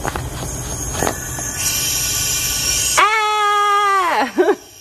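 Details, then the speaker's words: Junkyard Mk3 Supra turbo block on a 100 PSI leak-down test: a steady rushing hiss of air from the crankcase shows compressed air escaping past the piston rings. The owner suspects maybe just one cylinder has bad rings. "Maybe just one cylinder has bad rings. So when you're doing a leak down test, obviously you want as little leakage as possible."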